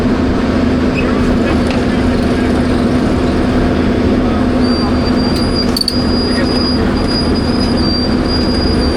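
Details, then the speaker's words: Old Grove crane, sitting 10+ years, being moved after restart: heavy rumble as it creeps, with a thin steady high squeal coming in partway; brakes on these are said to stick on; brake squeal. "Yeah, that I forgot to tell you the brakes get stuck on on these."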